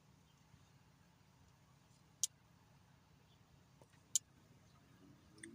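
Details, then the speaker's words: 2009 Hemi 5.7L truck, injectors reinstalled after sitting five years, active test with scan tool: two crisp clicks about two seconds apart as injectors one and three toggle; all eight injectors working normally. "So, we'll try fuel injector one. Press no toggle. There she's clicking. You hear it clicking. We'll do three toggle. That one sounds more healthier."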